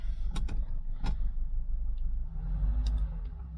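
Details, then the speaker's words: Mk3 Cortina 2000 GXL idling, heard inside the car, after fixing a rattling brake servo non-return valve: low, steady hum with a few faint clicks, rattle gone; only remaining rattle is the PCV valve, which is normal. "A lot quieter that noing rattle is gone that's more like it"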